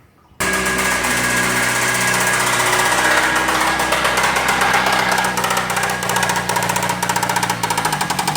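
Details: Chrysler 2.4 L engine started with coolant drained: loud, harsh start with ragged metallic knocking; a light 'ting' harmonic is the flywheel, while the knock and tap come from the engine.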